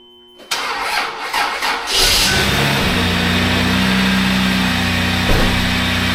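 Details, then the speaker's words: 1997 Lexus LX450 (80 Series Land Cruiser), years unused, weak battery on charger: cranks, catches and settles into a raspy, loud idle with a hollow drone as exhaust blows out of a rotted muffler with a broken bracket; needs a new muffler. "got some exhaust noise yet it looks like that bracket's broken off up there and it's really rotted out all the way around here it's blowing out right here so it needs a new muffler"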